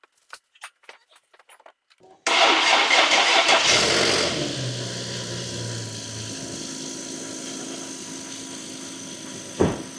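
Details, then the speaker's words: Infiniti G37 VQ37 engine at first start after DIY rebuild: brief crank, catches cleanly and flares, then settles into a steady even idle without the earlier rattling; sounds good, though it stalled shortly after. "It fired right up. Let's freaking go. And it sounds pretty good, actually. I don't hear any of that crazy rattling noise, man."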